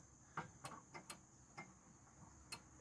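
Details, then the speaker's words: Liquid line solenoid valve removed outside the HVAC unit, unpowered, plunger moved by an external magnet to open it for refrigerant reclaim: light, irregular metallic clicks of the plunger moving up and down. "hear that little clicking noise that's our plunger moving up and down"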